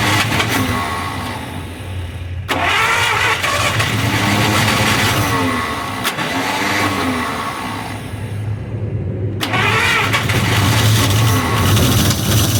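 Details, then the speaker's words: 1953 Buick Special stored since 1992 on its first start attempt: long cranking with brief catches that die out. It seems not to be getting fuel, and the filter is suspected. It cranks but will not start. "i don't think you're getting gasoline yeah i don't think it's moving any fuel"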